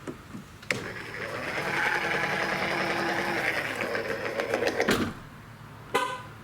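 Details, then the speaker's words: Strained, wavering electric whir for about four seconds, not smooth, as the power liftgate of a 2016 Mercedes GLE 350 (W166) opens and closes; worn right-side spindle motor, being replaced. "It's going up and it's going down, but it's making some noise like it's on the way out."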